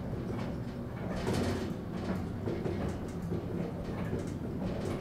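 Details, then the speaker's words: Hydraulic elevator pump motor: steady low droning hum, rough strained edge, clattery rumble; labouring as if about to die; the rider believes it has long been running low on oil. "You notice how sick the motor sounds? It's been struggling with low oil for so long. This thing sounds like it's going to die, and now it's having to deal with that aga"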